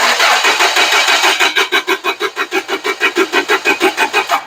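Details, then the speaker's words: Toyota 7FGCU25 forklift, 4Y engine, cranking no-start after a tune-up: starter turns evenly about five beats per second, no firing; even cadence suggests not mechanical timing, ignition timing possible, not confirmed. "okay you heard that cranking sound coming from that engine at this point I am not going to doubt mechanical timing it might be ignition timing but it's not going to be um mechanical timing not yet at this point right"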